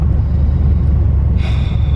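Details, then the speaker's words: Rebuilt Mitsubishi Eclipse (DSM), about 400 miles since the rebuild, around 16°F in January, just after an axle, coil pack and oil change: deep, slow, even idle of about 600 rpm with a short hiss. The idle overcorrected and is too low. "Looks like it overcorrected itself and now it's idling very low. Like that's like 600 RPM."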